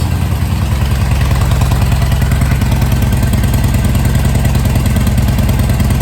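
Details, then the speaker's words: Harley V-twin after carb repair for a fuel leak, cold idle on choke: even, loping low thump at about three beats a second with no misses; running really well. "Sounds like it's running really well. Let's put the choke in. It's cold."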